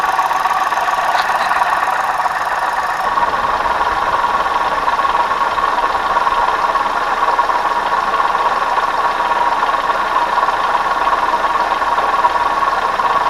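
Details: 2009 Hyundai i20 petrol, before water pump change: steady light tinny clatter over the idle, sounding like tappets but caused by a faulty water pump, not camshaft, timing belt, oil pump or lifters.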